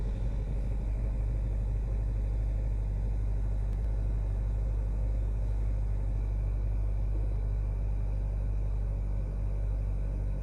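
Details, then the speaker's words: 2013 Hyundai Sonata Theta 2 engine, which had rod knock and code P1326, on first start after an in-car bearing repair with polished journals: heavy lumpy rumble about three beats a second, loud high-pressure fuel pump noise. Rough running, cause unclear. "running rough let's take a listen in this thing got to put that bolt back in there I don't really hear many knocking in the top and noise that you hear up there that's that high pressure fuel pump that's really loud"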